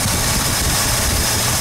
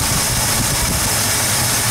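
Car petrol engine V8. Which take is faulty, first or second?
second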